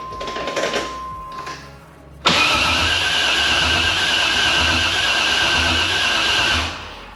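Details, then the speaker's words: 1992 Firebird with a freshly wired Holley Terminator X and T56, clutch in, cranked but not fired since the fuel pressure regulator isn't fitted: the starter spins it briskly with a steady whirr for about four seconds; healthy cranking. "woo it cranks"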